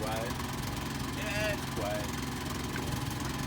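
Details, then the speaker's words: 3000-watt Rialta Renegade inverter generator, newly installed, first start: low, steady, quiet hum with no knocks or surging. Running normally. "nice, partner. You like that? Yeah, it sounds good."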